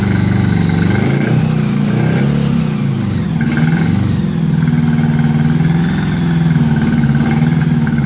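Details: 1983 Honda Gold Wing flat-four after new head gaskets, first run with no coolant. Uneven, lumpy low exhaust beat that stumbles as it revs, only a couple of cylinders firing; previous owner had replaced all coils and wires chasing it: misfire.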